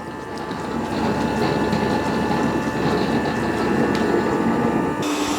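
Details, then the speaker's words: ECOVACS DEEBOT X2 Omni dock washing the mop pads before cleaning: steady whirring, light ratcheting chatter, water gurgling as water is pumped in and out and the pads spin, pitch change near the end; normal operation. "Now it's not super loud, but it does make about 3 different noises. You'll hear water gurgling. You'll see water being pumped into here and out of here. It's kind of spinning the mop pads."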